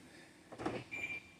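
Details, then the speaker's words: 2013 BMW X5 E70, parked and locked: a quick burst of lock actuator clunks, a short chirp, then another actuation. The locks cycle on their own only when someone is near the driver's side, and the windows also close. Cause undiagnosed. "it's locking unlocking home on the tone now I'm here on the driver's side so all you got to do is get somewhere near the driver's side"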